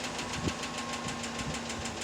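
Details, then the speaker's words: 2017 Chevy Silverado 6.2L (GM AFM/DOD) at idle, broken exhaust lifter on cylinder 4, passenger bank, push rod had bent; light, fast, even tick, loud on startup and quieter once running; collapsed lifter tick. "Tell, when it first starts up, it's quite loud, and it actually quiets down quite a bit after it runs a little bit."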